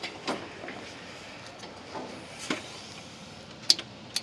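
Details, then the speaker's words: John Deere X320 that intermittently shuts off: fuel shutoff solenoid on carburetor clicks sharply each time the key is cycled with parking brake on, engine not running; solenoid works, owner then suspects intermittent wiring short. "But when I cycle the key, I could hear it clicking. When I turn the key, you can hear it click."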